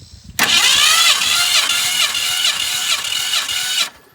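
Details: 1965 Ford Fairlane that sat in a barn since 2001, cranking during a compression test (cylinders around 149–160 psi): quick, even starter whir about 3.5 seconds with steady compression beat, no drag; normal cranking.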